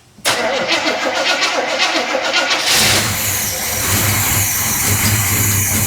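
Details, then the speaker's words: 1972 Chevrolet El Camino, 402 big-block V8, first start after decades parked under a carport, fed a little fuel: cranks, catches, settles into loud, slightly uneven idle with some stumble; carburetor stopped up, needs rebuilding. "Carburetor stopped up. Yeah. we know we're gonna need to build a carburetor."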